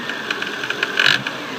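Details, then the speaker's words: Volvo engine running gives a light metallic rattle that swells briefly as revs are blipped, caused by the alternator overrunning clutch pulley at the front of the alternator. "What that's being caused from is this pulley right here sits on top in front of the alternator. So that's the alternator pulley itself."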